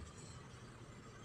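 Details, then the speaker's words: Hyundai Eon that would not start, after reconnecting a broken engine ground cable: quiet, steady low rumble with no misses or knocks; engine starts and idles evenly, problem was the cut ground cable. "Yun lang palang problema guys, yung ground cable na putol."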